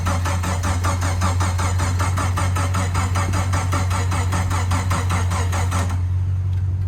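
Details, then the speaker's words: Jeep after engine rebuild (new bearings, repaired crankshaft gouge), first start attempt with a little throttle: steady fast cranking about three turns a second for six seconds, never fires; owner suspects no spark, not confirmed. "it sounds like it's not firing yeah it [Applause] does it sounds like everything's normal it just doesn't sound like it's getting any spark"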